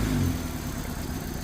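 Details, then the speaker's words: 2012 Hyundai Accent with CNG fitting idling roughly with a lumpy, uneven beat: cylinder number three is misfiring because its ignition coil has burnt out. "Car number तीन cylinder में engine चालू न होना हो रहा है।"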